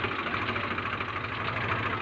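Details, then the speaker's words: Swaraj 735 tractor with an owner complaint of loud noise from the rear tyres (suspected pinion bearing), brakes also not working: steady diesel idle before the test drive, with no whine, growl or grinding from the rear axle, which sounds okay for now. "वैसे ही अभी बिल्कुल okay चल रहा है भैया इसको दूंगा थोड़ा सा"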